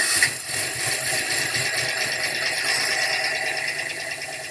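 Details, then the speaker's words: Z71 long-bed truck at auction, listed with internal engine noise. Tinny, rattly engine runs unevenly with a clattering knock throughout and barely keeps running ("she's chugging"). Rough running with internal engine noise, cause unknown. "Jesus, what happened to that thing? Good Lord. We're not going after that one. She's chugging. She's barely running."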